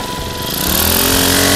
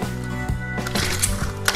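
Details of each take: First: Honda GX35 four-stroke grass trimmer engine after fitting a new genuine carburetor and new fuel lines (crumbling air filter found): picks up cleanly and settles into a steady, high, even buzz, no stumbling or surging; normal running. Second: Honda GX35 four-stroke brushcutter engine after carburetor cleaning and new fuel lines, running an aftermarket carburetor: rattles unevenly, speed hunting then surging; aftermarket carburetor is unstable, so it is replaced with a genuine Honda carb.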